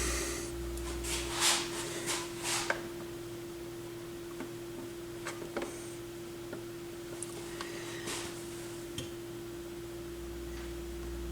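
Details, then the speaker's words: Micro Seki MB 10 turntable after repair, connected by RCA cables to a stereo and powered on: constant low buzz under handling noise. Ground hum, possibly from the cables, cause uncertain. "okay first let's see if we get some ground hum and we just turn it on stereo's on yeah there's some ground time"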